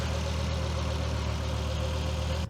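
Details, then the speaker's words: 1999 Volvo T5 2.3 turbo after a rebuild, first start after fuel-line pressure was bled out: smooth, steady low idle with an even beat and no knocks, ticks or misses; normal, healthy idle. "I'm not gonna lie, I probably think this is probably the best sounding car ever."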